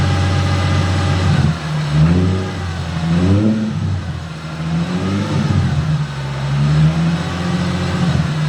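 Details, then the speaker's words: Toyota GR86/BRZ driving after repair: engine note rises and falls cleanly with throttle, with no grinding from the rear and only a faint steady whine thought normal; the earlier noise, believed from the diff, appears fixed. "I'm not too sure how much you guys could have heard from that, but definitely the noise that we were having. I think it's finally been fixed."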